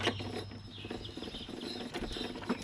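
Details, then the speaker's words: Toro Recycler 22-inch self-propelled mower with a 6.5 HP Tecumseh engine: light, irregular ratcheting clicks as the drive pulley is hand-spun, turning both wheels with no grinding. The transmission looks like it works, and only a new drive cable is needed. "So I have a feeling that the transmission does work. If you spin this, it does move both wheels, see?"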